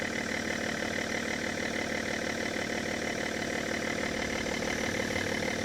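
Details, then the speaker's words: Car started with Lokithor JTC4250 jump starter, voltage rising to 13-14 V; compressor audible, coolant level warning. Even steady idle, smooth and unbroken, no knocks or misses: normal idle. "Oh, I can already hear the compressor working Coolant level too low And it runs!"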